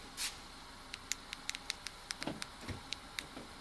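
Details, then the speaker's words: 2014 Honda Odyssey after a blown fuse was replaced (battery terminals crossed during a jump start had killed keyless, locks, seats and dome lights): quick run of light clicks and soft thunks as the door locks cycle normally. "So my keyless should be working, and I haven't done anything. Let's see my door lock cycle."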